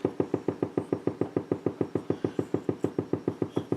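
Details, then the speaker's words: Blaupunkt Florenz shortwave/AM/FM tube radio, probably 1960s, dial strings broken, first power-up: magic eye shows a station but only even put-put popping about five or six a second is heard; motorboating, cause unknown to owner, controls not working. "we can see it's picking up a station but I don't hear anything oh there we go motorboating"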